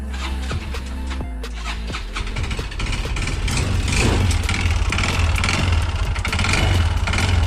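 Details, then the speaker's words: Yamaha Xeon RC 125cc automatic scooter found with no engine oil at all: starts and settles into a harsh, clattery, uneven idle with rough rattle from the engine centre; suspected wear from running dry, CVT also being checked. "Yang pertama-tama kita akan membuka di bagian oli ya, mengecek apakah ada oli mesinnya ataukah tidak, karena suara mesinnya itu sangatlah kasar dan memang sepertinya sudah lama belum ganti oli."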